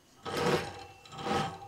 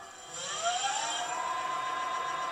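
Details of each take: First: Sparta Maxx 70 converted e-bike, 48V front hub motor: two short, rough rasping buzzes as the motor judders starting from standstill; suspected phase-control fault in the controller or wiring, not the motor itself. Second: Sparta Maxx 70 e-bike, 48V front hub motor, tested after repairing damaged yellow wiring with heat shrink; smooth whine climbs to steady speed up to 58 km/h via thumb throttle, starting problem solved.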